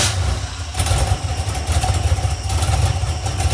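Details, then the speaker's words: Iron 5.3 LS LM7 V8, believed 2002–2003, likely BTR Stage 2 truck cam, on a run stand; low idle guessed around 600 rpm with mild cam lope, earlier valvetrain noise gone, healthy. "yeah that's definitely got some sort of L to it and I've got it idling down pretty [Music] low"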